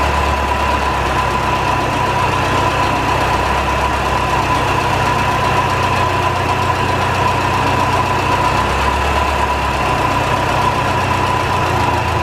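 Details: 1949 Ferguson TO-20, Continental Z120 four-cylinder, sat 15-30 years, just revived after cleaning carburetor filter goo, run briefly without coolant: steady idle with rough gritty undertone and constant thin whine; owner suspects bad generator bearings.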